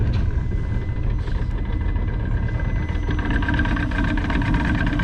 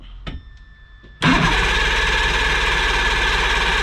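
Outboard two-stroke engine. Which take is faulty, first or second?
second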